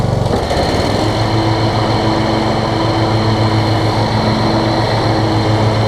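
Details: Toro Z5000 Kohler Courage engine after the tight intake valve was adjusted and the choke set: after a brief catch it settles into a strong, steady drone with no hunting or misfire. Healthy; slight smoke, owner suspects oil overfill.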